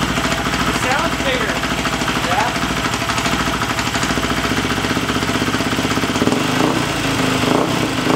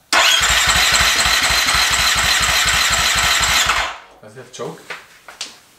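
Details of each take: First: Husqvarna FE350 converted to FE 366 dirt bike, first start after complete rebuild, spark plug wire reseated and idle raised slightly: steady, even single-cylinder idle with no misses or knocks, running cleanly. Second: Husqvarna FE350 dirt bike built to FE 366, first start after full rebuild: even starter chugging at about four compressions a second with no ignition, then stops; crank no-start because the spark plug wire wasn't fully seated.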